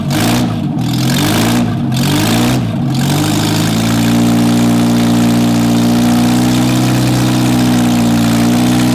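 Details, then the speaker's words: MGB under restoration, started with exhaust headers missing after rear axle refit: a few quick blips, then a steady, very loud, raw bark with deep even pulse; open exhaust, louder than a voice, annoying neighbors. "as you can see or if you can hear in comparison with my voice it's pretty loud i'm annoying the neighbors"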